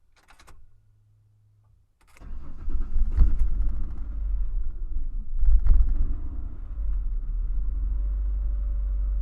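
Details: 2001 Ford Explorer Sport at about 46°F, fails or is slow to start below 50°F. Fuel pump cycled three times first, then a few seconds of uneven cranking before it catches to a rough idle. Owner suspects a weak fuel pump. Long crank.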